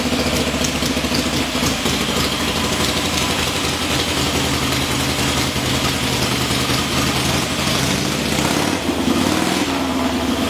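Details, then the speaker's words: Freshly rebuilt motor on a testing stand, finished about an hour earlier and already run, head bolts retorqued after warm-up: loud lumpy V-twin run with a rev blip near the end, no knocks or ticks; healthy engine. "Well, I'd say that sounds pretty good. Another motor job by the Dragonman."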